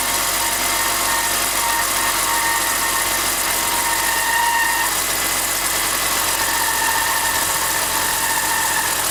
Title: e46 whining chirping sound